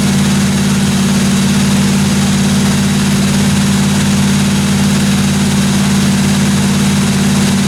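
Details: 1957 Chevy 210 running steadily during the roughly 20-minute cam break-in on first start: a loud, even deep rumble with no tapping or odd noises from the valve train; normal running.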